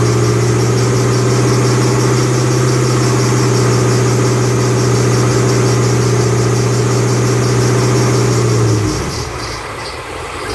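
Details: 2008 Bullitt Mustang V8, 8-rib serpentine belt, the morning after sitting overnight in the garage, under 30 miles driven: a loud constant-pitch squeal over the running engine cuts out abruptly, a slipping serpentine belt.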